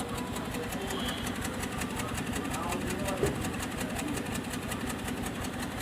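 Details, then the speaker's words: 2015 Hyundai Creta petrol idling with a flashing check engine light and stored code P0303; sound heard at the silencer (exhaust) shows an uneven beat with regular stumbles where one firing drops out, confirming a cylinder 3 misfire. "यहां पे silencer है इसका और यहां पर firing देखेंगे ना तो यहां से कंफर्म हो जाता है की यह इंजन भी मिसफायर हो रहा है"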